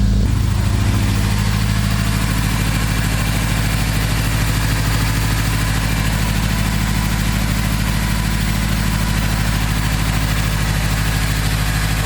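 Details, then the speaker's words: Acura RSX after a flex-fuel kit and injector install, with a new map loaded. The air-fuel reading swung from super rich to super lean, and the owner suspects it is not getting enough fuel, possibly from bad injectors. Uneven, loping, stumbling idle. Rough idle. "still running really weird running super super lean i'm gonna shut this off for some reason it's not getting enough fuel"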